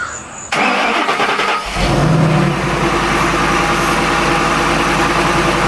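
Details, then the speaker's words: Shelby Mustang GT500 first start after replacing the intercooler pump and burnt harness for a no-boost issue; short crank, then steady even idle with no whirring from the pump, cold before warm-up, running normally. "So, I'm going to go ahead. I'm going to let him warm up and do his thing, get to temperature, and then I am going to take him up and down the street."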